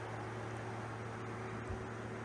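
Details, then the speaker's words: Project Redfire, MegaSquirt MS3Pro driving a junkyard Ford fan controller (6E53-8C609-AA) at low duty: quiet, even fan hum and airflow with no squeal, whine or pulsing; high-frequency output runs the fan smoothly. "this fan is on and notice it doesn't have any like squealing pulsing or anything weird this controller's output a very high frequency that runs the fan super smooth"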